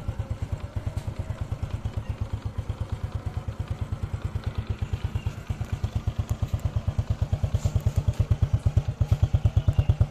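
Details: 2008 Honda Supra Fit X, 16 years old, idling in neutral with no white exhaust smoke. A fast, evenly spaced sewing-machine tapping rides over a low exhaust beat. The owner suspects the rocker arms or valves, unconfirmed. It still pulls well.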